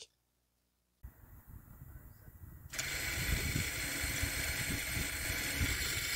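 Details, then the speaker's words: 2021 Toyota RAV4 AWD 2.5 after rear rotor and pad replacement, EPB taken out of service mode: quiet whir builds into a steady even motor buzz as rear electronic parking brake motors operate normally. "so now uh usually once you uh release the the parking brake the button you should be able to hear the motor in the"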